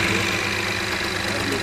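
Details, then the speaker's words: Citroën C4 Lounge with THP engine at 49,720 km: a loud metallic rattle right after start-up from a slack timing chain, which loses tension over time. This is a known chronic fault on this engine. "aquele barulho da partida é ele é referente à corrente de comando né esse carro ele tem um problema crônico nessa corrente"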